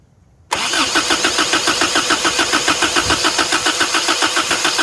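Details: 1983 Toyota 22R, sat 20+ years, boat tank fuel supply: steady cranking at about 3.5 beats a second, never catching; fuel delivery suspected, not confirmed.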